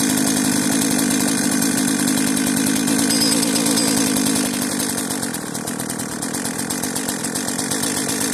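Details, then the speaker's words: Cheap modern chainsaw running on fuel left in its tank: a steady, even two-stroke idle rattle with no stumbling or surging. The carburettor is working. Normal idle. "It hasn't died yet. Is there fuel in this thing? There must still be good fuel in this tank, and the carburetor is actually functioning."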